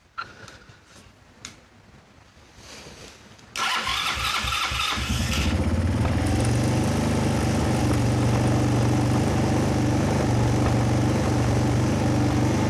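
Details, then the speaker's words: Kazuma Falcon 150cc quad, about 10 years old, first start, fuel still leaking. It catches after cranking and holds a fast, steady drone. Idle is set very high on the screwdriver and the mixture needs adjusting. "Okay, she's running. Still idling very high on my screwdriver."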